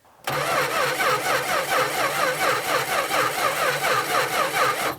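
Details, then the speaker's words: 1966 Plymouth Barracuda Formula S engine, sat for decades; about five seconds of steady cranking held at full throttle to clear it, no firing; gas was dumping from the carburetor base plate, suspected severe flooding or lost spark. "if we didn't lose spark I think it's just supremely flooded right now because it started pouring gas out of the uh base plate somewhere it's just dumping fuel from somewhere"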